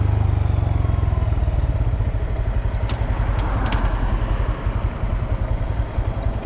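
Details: New 2022 Honda Grom, under 3 months old: after 10–30 minutes riding, starting at 90+ km/h full throttle in 4th/5th, transmission noise heard slowing below 50 with clutch in; steady low thump with faint clatter; downshifts mushy until 3rd.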